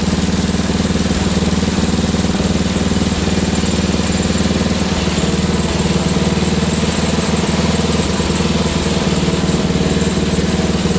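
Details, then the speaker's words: Wheel Horse GT2500 garden tractor restarted during build: single-cylinder thump at idle, mostly steady but slightly uneven and lumpy; runs a little off, owner suspects a stuck carburetor float and may pull the carburetor. "I'm not sure as you can hear it's running a little off so I might have to rip the carburetor off"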